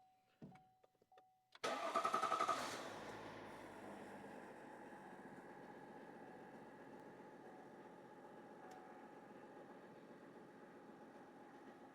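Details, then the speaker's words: Duramax diesel pickup (2500HD 6.6L L5P or 1500 3.0L LZ0) just after PPE intake tube install: brief crank, loud flare, then steady even idle; no difference noticed — normal startup and idle. "Initial startup, I didn't notice any difference. Give you guys a couple of revs."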